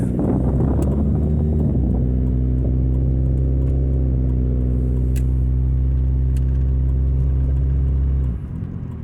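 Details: 2000 Nissan Altima. Loud, deep droning rumble under throttle that drops away sharply once the gas is released: an exhaust leak.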